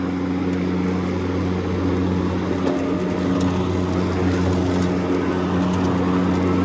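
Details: EGO Power+ T6 TR4204 42-inch 56V electric riding mower at highest speed, blades engaged at highest setting while driving: steady even vacuum-cleaner-like whir with constant low hum drowning out the drive motor; normal mowing.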